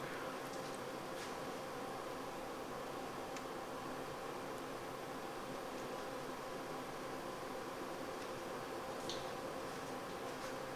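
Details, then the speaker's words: 1990 Mercedes W124 (Red project) blower motor, tested after being removed and lubricated to fix a squeak: a steady, even airy whoosh with no squeak or chirp. Normal blower fan operation. "And of course, before going too much further with assembly, let's give that a test. And of course it works magnificently."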